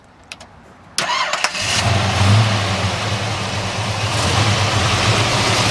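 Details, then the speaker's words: Cold start of a 1971 Chevelle SS with a rebuilt LS5 454 big block, MSD ignition, Edelbrock parts, a mild cam and dual exhaust: brief crank, then it catches cleanly into an even, deep idle with no knocks or ticks; normal. "great no weird noises under the hood"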